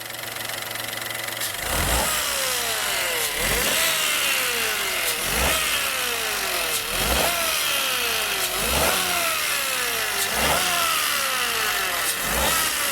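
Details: 2017 Peugeot 208 1.2 three-cylinder, noise that grew louder over time at the front; revved up and down with both accessory belts removed, a rhythmic slapping whir rising with revs near the timing cover and tensioner: worn timing belt noise.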